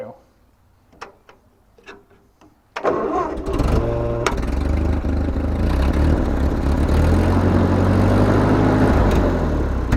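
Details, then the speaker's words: 1943 Ford 9N backhoe tractor cranks, catches near three seconds, then runs rough with uneven lumpy idle; block has several cracks, worn motor, suspected blown head gasket with blow-by. "she runs not going to say she runs well she needs some help uh the block has a lot of issues"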